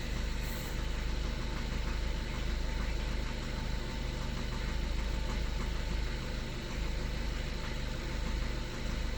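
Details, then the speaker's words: 2013 Skoda Octavia A7 1.6 TDI diesel, 188,000 km, cold start at 21 degrees: steady low idle drone with a faint regular knock about four times a second; knock disappears once the engine warms up, cause unknown. "Після прогріву машинка починає робити нормально, ніяких проблем. Поки холодно, стукаємо."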